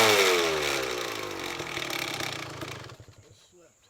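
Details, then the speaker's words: 1999 Kawasaki KX250 two-stroke on its first start after a full garage engine rebuild, premix a little rich at 32:1 for break-in: a crisp rev drops smoothly to a low burble, then cuts off cleanly with no rattle; a healthy engine. "This thing runs, and it runs good as of now. I mean, it sounds good."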